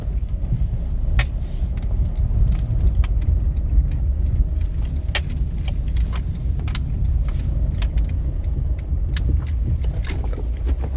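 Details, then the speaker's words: 2011 Honda Fit driven slowly over a patched street: sharp irregular knocks over heavy road rumble from the front suspension, felt through the floor at the driver's feet; diagnosis pending on the lift. "deu para ouvir aí ó você ouve bem um barulho aqui no pé assim nessa região aqui do pé e se estiver andando devagarzinho no calcanhar do pé que dirigindo aqui ó você sente batidinha no pé lá"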